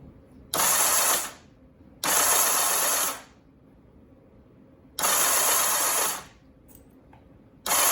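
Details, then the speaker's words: 1984 Honda CBX750 restoration, first crank after reassembly with new-painted rebuilt starter, plugs out, no exhaust pipes, priming oil: short even bursts of starter whir with no clunks or grinding; engine spins over freely with spark present. "Yeah, it's cranking over okay. It doesn't sound like it is. Scared me for a second, holy shit. But everything's cranking over."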